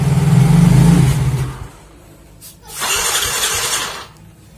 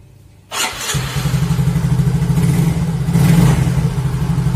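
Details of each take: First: Yamaha Mio Soul GT fuel-injected scooter after a dead fuel pump repair and battery charge, sat a week: three cranking bursts, starter whirring without catching; hard starting. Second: Yamaha Mio Soul GT (YMZ FI) sitting a week, after a battery recharge and repair of a dead fuel pump: catches after a brief crank and settles into an even, steady putter, rising slightly with throttle; normal start and idle.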